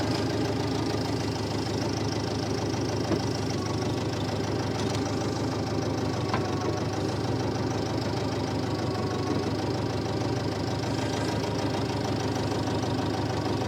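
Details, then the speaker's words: Massey Ferguson MF711 hydrostatic skid loader engine after sitting 20–25 years, with rebuilt magneto and carburetor; small petrol engine chugging steadily with a light diesel-like clatter, slightly knocky but good throttle response, normal running. "we got this old girl going again kind of sounds like a little diesel it's a little niky but uh good throttle response"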